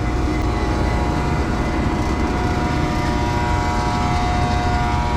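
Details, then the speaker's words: Old Trane unit's makeup-air blower motor is seized: it gives a steady, strained electrical hum with a few fixed tones and never spins up. "that's the makeup air trying to work she seized up that's actually pretty interesting I've never even heard one try to work"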